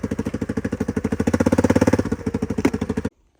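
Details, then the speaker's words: Roughly 20-year-old ATV, loud harsh raspy popping pulses at low speed from an exhaust leak; it otherwise runs well. "And you can hear how loud this thing is with the exhaust leak."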